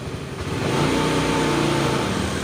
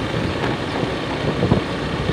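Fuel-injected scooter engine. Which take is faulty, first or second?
first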